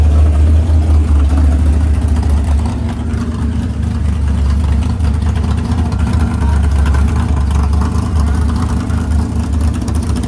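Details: Freshly built 500ci big-block Mopar in a 1969 Barracuda, first start: idle turned down to near 1000 rpm, steady choppy big-cam lope, even firing, no ticks or knocks; normal healthy idle.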